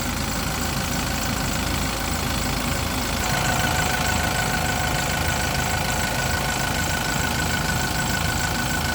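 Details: Yale diesel forklift with a crank-no-start (ran about 5 seconds then shut off; owner had checked fuel and pump), running for a while before filter replacement; steady, even diesel clatter at idle with regular pulse, no misses or knocks; healthy.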